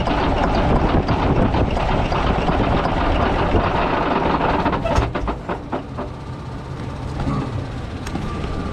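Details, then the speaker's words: Old Mack tank truck diesel, probably 1995, 122,000 on odometer, started without ether: light fairly regular knock about four a second, easing as it settles; mild starting knock, far less than with ether. "See, that's so much better than ether. It doesn't knock that hard. I mean, it's knocking there a little bit, but it's not like ether."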